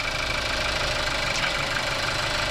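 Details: 2018 Skoda Octavia 1.5 TSI petrol, about 110 kW: fast, light metallic rattle over a steady idle, also off throttle.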